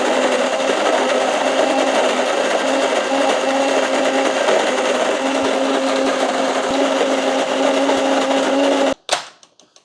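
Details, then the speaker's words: Cuisinart DGB-900BC Grind & Brew 12-cup coffee maker grinding beans after start: even, loud whirring at a steady mid pitch for about nine seconds, then a clean cutoff; normal grinder operation. "you're simply going to come up here and hit the start button and you'll hear that thing you can hear it kind of rotating it's rotating that thing on top"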